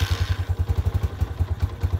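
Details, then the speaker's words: 2022 Honda CG 125L, 500 miles, started cold on half choke on a hot day: deep thumping idle about ten beats a second with slightly uneven, lumpy firing; rough cold idle. "um this one sounds like a bag of sh it's not warm it's cold this so let me just try and see if it'll start on half choke oh she fired up first"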